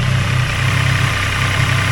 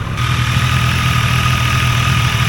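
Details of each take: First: Triumph Tiger Sport 800 at 800 miles, idling after a cam chain tensioner replacement for excessive rattle: a steady, even low throb with no rattle standing out before shutoff. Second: New Triumph Tiger Sport 800 triple at idle, about 800 miles: busy metallic rattle over the low hum, loud since new, from a faulty cam chain tensioner; the adjuster was later replaced.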